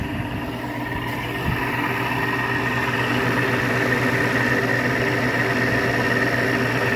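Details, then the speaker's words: GE window air conditioner installed after the central AC capacitor failed, room at about 76°F. Compressor and fan hum steadily with a faint watery swish on top. Condensate water is sloshing in the base pan, which deliberately has no drain hole. "GE was sloshing water earlier. I'm not going to drill a drain hole in that cuz I like the sound of the water slush."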